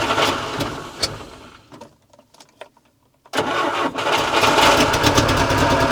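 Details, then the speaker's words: Żuk engine first started after repair of a wrecked cylinder 4 exhaust valve seat and bent pushrods: it catches after a short crank, then runs lumpy and stumbling, not firing on all cylinders. Misfire suspected to be ignition-related (distributor position, wires). "still not running on all but I think it's ignition related this one listen to this"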